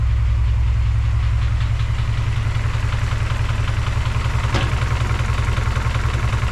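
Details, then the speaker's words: Honda G23/H2B swap with K-series manifold, first start, idle about 600 rpm: very low, lumpy idle with a steady heavy beat around two and a half per second; rough idle, owner suspects rod knock, idle needs raising. "but it it do sound kind of rough to be honest kind of Rod kniky I need to bump the idle up"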